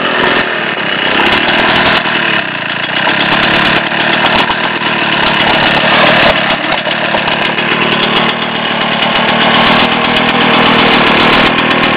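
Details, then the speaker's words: Rotax 247 (10.5 hp 250) from a 1967 Ski-Doo Olympique, test run after a bench rebuild with honed cylinder, new rings, new crank bearings and a Tillotson HL carb made from two. It buzzes at a steady fast idle with an even crackly beat and no knocks. It runs fine; the carb still needs adjustment. "Need to do a little bit of carburetor adjustment, but you get the general idea. Got the engine free probably over 25 years ago, and hey, it's going to get a chance to live again."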